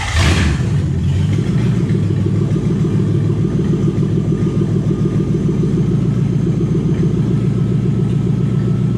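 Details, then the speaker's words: Toyota 1UZ V8 in a Ford Falcon after a part was cleaned with carb cleaner and refitted (owner suspects it was stuck open): brief start-up burst, then smooth, steady low idle with no hunting; normal idle. "Well, it appears we fixed it. I don't really know what we did. Apparently just taking that apart and cleaning it up a little bit fixed it."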